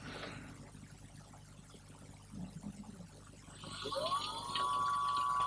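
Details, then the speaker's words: Water-cooled 2.2kW CNC spindle on a VFD, bench wiring test, running clockwise at low speed before being taken to 100 Hz (about 5,000 RPM): a faint tone climbs, then settles into a clean, steady, very quiet whine with no rattle or grind; healthy spindle. "so if I turn this and listen you should hear the spindle now these water cooled units have very quiet compared to an air cooled unit"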